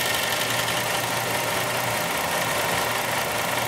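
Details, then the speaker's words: Chrysler 300 with no AC operation, at idle with the AC compressor jumped on directly: a harsh, uneven rattling knock. The compressor engages and pulls pressures down but runs rough and noisy. "man that compressor sounds terrible all right so at least we know the compressor works"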